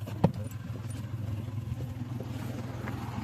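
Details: Hyundai 1.1-litre three-cylinder diesel with 342,348 km and no engine work done, started with bonnet closed: steady even low diesel clatter at idle, no knocks, misses or surges; running properly.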